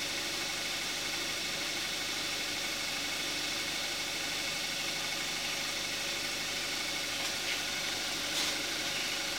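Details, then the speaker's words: 2014 Kia Forte5 2.0 GDI, 41,000 miles, synthetic Amsoil 5W-30, after a cold start, heard with the hood closed: even idle with a fast, light injector tick over a quiet hum; nothing abnormal. "Now we're going to hear what the engine sounds like with the hood closed."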